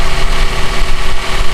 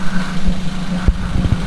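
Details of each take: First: Toyota Avanza idling with AC on: loud coarse growl and churning from the AC compressor, cooling weak; when the engine is hot at standstill the compressor cycles on and off. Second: Toyota Avanza at idle with the AC on, after the noisy compressor was replaced with a new Denso unit: steady, smooth low hum with no rattle or growl; the compressor runs quietly and normally.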